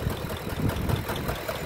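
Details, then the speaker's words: 2013 Lincoln Navigator 5.4 3-valve, automatic 4x4, 147,000 miles, driven in with bad engine: quiet idle with uneven heavy knocks through the low rumble; engine runs but knocks internally, origin unknown. "things got a bad motor as you can hear right now it is running"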